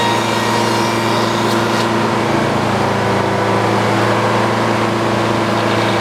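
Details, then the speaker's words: Detroit diesel powering old Frick sawmill while trimming boards: steady drone with slight uneven sag and hunting under saw load; owner suspects it is running out of fuel, tank not checked. "well I got a little more clean up to do some more trims to do but it sounds like Detroit might be running out of fuel I haven't checked it"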